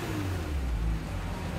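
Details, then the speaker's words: Kia Stinger GT GDI engine under light throttle right after an intake valve and fuel system carbon cleaning; the deep, even note has no misfire or stumble, and it runs smooth and normal. "sounds smooth so we went out for lunch let her run a little bit on the side roads there and sounds all right"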